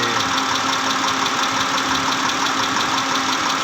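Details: 2010 Mitsubishi Pajero, 6G74 V6, at idle: sharp, fairly regular tapping about three times a second over the engine hum; engine knocking, cause unknown.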